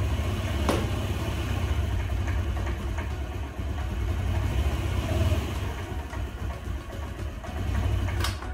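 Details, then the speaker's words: 2004 Honda Metropolitan scooter, sat unused four years, sold as non-running: engine starts but idles low, lumpy and stumbling; owner plans carburetor cleaning and fresh gas, cause not confirmed. "it idles but very roughly as you can hear so I'll be cleaning the car changing out the gas and hopefully it'll run better"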